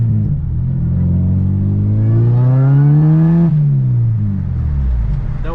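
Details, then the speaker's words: Acura RSX with a used Comptech supercharger kit, untuned on stock injectors, lightly accelerated on the street. The engine note and supercharger whine climb smoothly and fall away cleanly on lift-off; healthy. "to get on it too much but definitely sounds good really pleased with how it sounds but uh yeah it's driving awesome"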